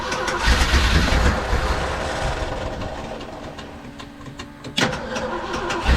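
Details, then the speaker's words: 1974 Ford F100 Dentside 4x4, 390 FE big block, electric fuel pump, hot start: lumpy, uneven V8 idle that burbles, stumbles and pops on throttle through loud exhaust; used to be smooth, owner suspects the ignition module and plans to swap in an original one. "it's just got kind of a like a burble and a stumble it's just not smooth and it used to be smooth"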